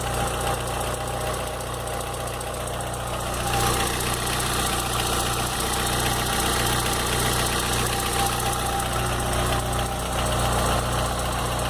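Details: VW Gol G4 (2007/2008) at idle: fairly regular knocking pulse about three to four per second over the hum; strange engine noise, source unclear.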